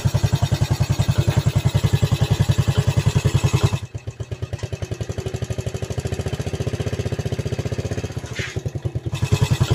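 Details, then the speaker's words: Yamaha Vega ZR after engine rebuild with piston and camshaft modifications and replaced valve guide, no longer smoking: smooth steady single-cylinder idle, no valve tick, slight irregular clatter suspected from worn clutch housing. "Suaranya halus. Ada sedikit bunyi kayak geledak ya. Itu adalah suara rumah kopling. Suaranya agak sedikit geledak tapi enggak beraturan. Kadang bunyi, kadang enggak gitu. Tapi untuk bagian klep suaranya sudah halus."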